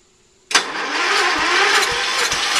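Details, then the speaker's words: Early-80s Ford LGT120 with a Kohler K301 12hp single, fitted with a new piston; weak battery. Starter keeps cranking with compression thumps about twice a second but never catches. Hard start warm or cold; owner suspects valves. "we just put a new piston in there and uh it starts really hard I think we might mess some up the valves"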